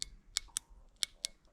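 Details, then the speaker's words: Streamlight ProTac 2L-X LED flashlight tail switch after reassembly (a broken plastic piece had stopped it): crisp, sharp clicks about every quarter second in a quiet room; switch working normally. "I don't know if you can hear that but it's clicking now so I guess we'll see if I put it back together correctly"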